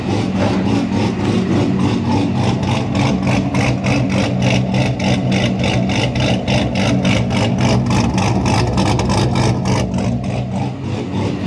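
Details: A&A supercharged C6 Corvette with unknown cam specs, arriving with a bad tune (rich, very low timing) that ran rough even after basic maintenance. A choppy, lumpy idle pulses about three times a second, uneven and hunting: rough idle from poor engine tune.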